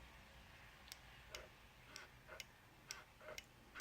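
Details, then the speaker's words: 2016 Ducati Diavel with its brake light stuck on permanently: sharp light clicks about every half second as the front brake lever is worked, the front micro switch operating while the light stays on. The cause is suspected, not confirmed. "I may have been resting my fingers on the front brake just in case I needed to stop really quickly, but I'm fully aware of when I might be operating the switch. You can hear the micro switch operate."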